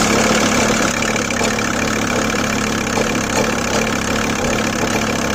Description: The sound is less when the engine is revved to 1000 rpm or more, and is a kind of intermitted rattle/mulching sound. The sound goes away quite soon after starting the engine, but seems to remain somewhat present (or thats my mind imagining it).